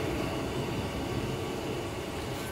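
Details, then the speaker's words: Diesel air heater on basic 2-fan-blade Icon controller, set to maximum, glow plug unpowered, just before shutdown: steady, even roar of combustion and blower with no surging, popping or misfire; running normally at full power. "now you can hear the Beast roaring away behind me"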